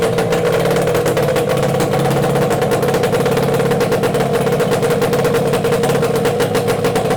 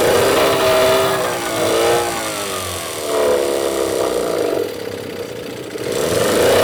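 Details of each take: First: Yamaha 8C two-stroke outboard bought from Japan, run after unpacking; quick, even two-stroke buzz with steady firing pulses, no misses or knocks; running cleanly. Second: Yamaha 8C two-stroke outboard bought from Japan, first run straight after unpacking with nothing serviced: buzzes and revs unevenly, no water from the tell-tale, only exhaust gases; no cooling water flow, pump suspected blocked or failed.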